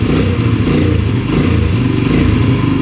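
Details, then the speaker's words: 2011 Yamaha Raptor 125 quad with the choke off: the single cylinder chugs unevenly, missing and then stalling. The owner suspects fuel starvation; the tank vent is ruled out, and petcock flow is still to be checked. "choke off. Yeah, it stalls out. So, it's obviously not getting enough fuel for sure."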